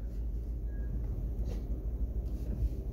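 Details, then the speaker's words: 2013 Ford F150 backing out in the morning, when its rear brakes usually squeal, after the owner's brake experiment: low soft rumble with no squeal; quiet, owner concludes the noise is related to the brake shoes. "No squeak. So we know it's something to do with those brake shoes. That's a positive step."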